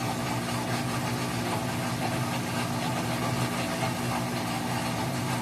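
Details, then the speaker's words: Whirlpool WTW4816FW3 top-load washer, bought July 2023, control board replaced three times: constant loud gritty grinding with a low hum underneath, nothing seeming to happen while it grinds; drain pump later replaced; grinding noise. "It's making that loud noise, but I don't think it's doing anything when it does that loud grindy noise."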